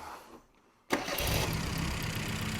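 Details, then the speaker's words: 1975 Mini Clubman estate with an engine stored 12 years, after fitting a carburettor reportedly good and correcting the previously wrong firing order: starter catches and the engine fires straight into an even, steady idle with no misfire; healthy start. "so that's the first time this engines ran in 12 years apart from a minute ago and um it's the first time this cars had a running engine in it for about 10."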